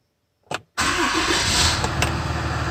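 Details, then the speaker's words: Ram 6.7L Cummins diesel after priming by cycling key to run seven times: short crank, fires instantly into a steady smooth idle with no stumble; fuel system purged of air. "Beautiful. Fire right up. Very nice."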